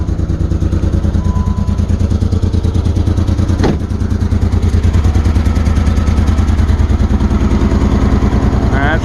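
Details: 2008 Dodge Nitro started on jumper cables after timing belt reassembly; rapid deep idle pulse that stumbles now and then, still has a miss. Owner plans a compression check and suspects timing marks may be off.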